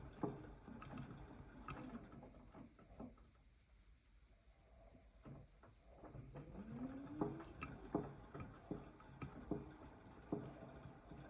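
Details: AEG 8000 washing machine: water sloshes in the slowly turning drum with sharp knocks about once a second, 90% of them when turning counterclockwise. Knocking vanishes at higher rpm and persists with the detergent cup removed. Cause unknown.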